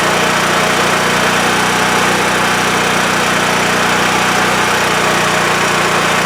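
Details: WEN TF1450X 14500W tri-fuel generator after repair, formerly dying after 20 seconds with loss of spark: steady, even engine drone with constant hum, no surging, hunting or cut-out; now runs normally past 20 seconds.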